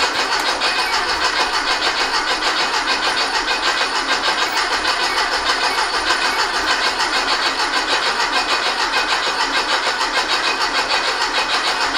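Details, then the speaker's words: Rebuilt 1835cc air-cooled engine for a bus, first start after rebuild, good oil pressure and fuel confirmed: brisk, regular cranking that never fires; no spark found. "Well, we got fuel. Wonder if we have sparkage. No spark. Did you say no spark? No spark. All right. So that would explain why."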